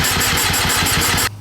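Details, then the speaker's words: KTM TPI two-stroke, fresh engine, long-sat bike, freshly charged battery, strong spark: rapid even cranking chuffs about five a second that never catch; fuel pump barely audible, owner suspects weak pump not delivering enough fuel. "so if we hit the button anyway you can hear the pump run just barely it's not making much noise which um and then when we it tries to go"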